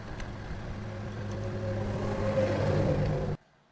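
Engine revs up with a rough, uneven mechanical rumble beneath the exhaust, then shuts off; there's an abnormal noise, cause unclear.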